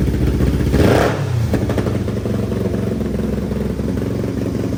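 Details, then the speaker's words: 500cc mini bike with new stainless exhaust and high-flow muffler, restarted after the baffle held by a small screw vibrated loose; quick rev blip then steady putter with no rattle, sounding much better. "yep it's actually fired up again see how it sounds new [Music] ble sounds way better"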